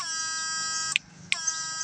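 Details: GM8999 power inverter after repair adding a relay to cut line loss (output up from 125 to nearly 150): steady high-pitched electrical buzz under lamp load, briefly cut with two clicks, then back; running normally.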